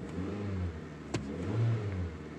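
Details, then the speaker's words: Suzuki SX4 that ran rough with P0301 cylinder 1 misfire and falling fuel economy, after replacing NGK iridium plugs failed at about 35,000 miles: starts right away, climbs cleanly and drops back smoothly with no stumble or misfire; normal revving. "as you can see I'm getting some different messages there it's definitely revving a lot better"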